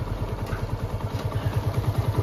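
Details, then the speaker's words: TVS Apache RTR 160 BS4 after full engine rebuild, idling with no throttle: even, clean low thumping, no clatter or knock; normal idle, earlier rattling gone. "कितना मस्त कितना बेहतरीन sound आई है engine की जरा से भी कोई वो खटखट वाली आवाज नहीं रहा एक नंबर आरपीएम भी बहुत ही लाजवाब है"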